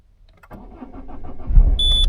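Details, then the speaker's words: Diesel Peugeot 207, 2008 plate, 63,000 miles, neglected and recently stored, first start of the day: brief cranking chuffs, then it fires promptly and settles into a steady diesel idle with all warning lights out; clean cold start. "let's uh fire it up now I haven't started this today so this is first time I've started it"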